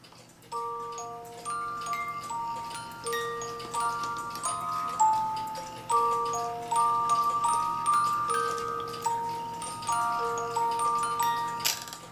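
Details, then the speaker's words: 1985 Black Forest Regula A-25-85 cuckoo clock music box, comb out of the box on table after cleaning: bright plucked tune, even notes, steady tempo, no buzzing; worn comb moved closer to cylinder, now plays normally. "So what I found was these combs are starting to wear because it's played so much, and so that's actually why this comb needed to be brought a little bit closer so now it plays."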